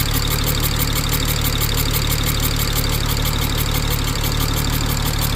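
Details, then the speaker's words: 2007 BMW 335xi just revived, coil packs replaced with used OEM units: steady idle with a fast, slightly uneven ticking over a low rumble alongside a misfire, engine rocking. Unidentified noise, maybe exhaust leak; injectors seem fine. "So, I got it running, but what is that sound I'm hearing? Almost kind of sounds like an exhaust leak, maybe? Definitely a misfire, though."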